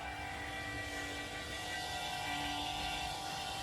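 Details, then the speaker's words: Cummins diesel swapped into a Humvee, first start attempt in two years: the fuel pump is fed 12 V through a temporary relay. A steady electric hum over a soft hiss as it bubbles and primes: fuel pump running normally. "so if I touch this to 12 volt power fuel pump should turn on and there it goes"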